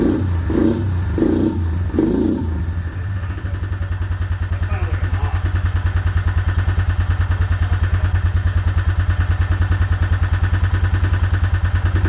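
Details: Suzuki Vinson 500 quad, single cylinder, coolant blown out of the cylinder and initially would not crank: idles with a steady thump about three times a second and a sharp tap on each beat; owner suspects a knock from coolant, not confirmed.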